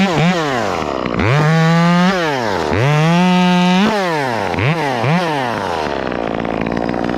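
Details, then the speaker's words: Chainsaw bucking firewood, cutting with the bar tip so not fully loaded: revs rise and fall in bursts with a burbling four-stroke bark. This is normal off-load four-stroking by design. "so friends you'll hear this saw it kind of does that four-stroke bark they're designed to do that they're designed to do that"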